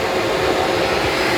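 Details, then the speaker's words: Yamaha FZS600 Fazer radiator cooling fan wired directly to power, tested after the engine overheated past 100 °C at a stop: an even, steady airy whir with no ticking or scraping. The fan works normally. "पंखा ठीक, हाँ जी आवाज़ आई है, आपको देखा आपने, ये देखें आवाज़ आ रही है। ये फैन चल रहा है, ये ये मैंने डायरेक्ट किया हुआ है।"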